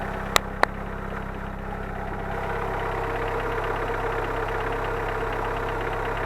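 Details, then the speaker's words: Engine with 263,000 km mileage, warming at idle after a fresh oil change and before adding Hi-Gear SMT2 oil additive: light quick ticking of about three to four per second over a steady idle from mildly noisy hydraulic lifters, not very loud. "Вот такой звук гидриков. В принципе, не так громко, но все равно чуть-чуть подольем."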